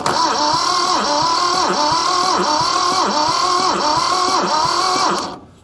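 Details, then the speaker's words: Mitsubishi diesel tractor saved from scrap, first crank with no fuel yet: starter groans through compression about four times a second, laboured and slow, no firing; the Bendix gear hung up at first, spinning the starter without engaging. "the Bendix gear on the end of the starter was hanging up there at first so it was just spinning the starter not engaging the engine but uh yeah she's spinning over kind of slow though"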